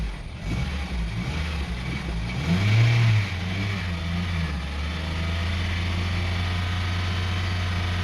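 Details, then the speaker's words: 2002 Honda CR-V 2.4L, revved to about 3000 rpm while waiting for a replacement idle air control valve: the engine revs up briefly, then falls back and hunts up and down instead of pulling cleanly. Surging under throttle, cause not yet confirmed. "See, even when I press the gas at 3000 RPM, the engine is not accelerating well. The engine is up and down, up and down."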